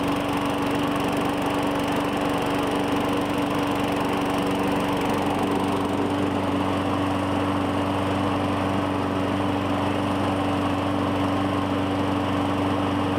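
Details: 2017 Murray 21" mower, Briggs & Stratton 450E, after cleaning the dirty plastic carburetor's brass inlet: steady even buzz, no misses or hunting, slightly lower after a few seconds; normal running, no smoke.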